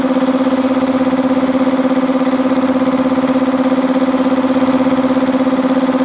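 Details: Multipro 2 HP electric air compressor with tank, 2.2 kW single-phase motor, after cleaning dirt from the blocked check valve that leaked air at the pressure switch: even fast pumping pulse about three per second, clean steady hum; tank fills smoothly, healthy.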